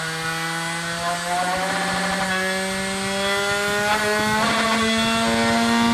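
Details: Manson 3-15VDC 30A power supply, test after reassembly: a motor runs with a clean, steady hum whose pitch climbs smoothly as the voltage is turned up, with no grinding or stutter; motor and supply working normally.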